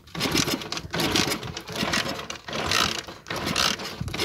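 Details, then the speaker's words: Motorcycle with anti-theft switch cutting the stator feed: repeated rattling starter spins about once a second with no firing; ignition cut by the kill switch, so it won't start. "qué no enciende? Porque acá ya cortamos la corriente que viene del estator."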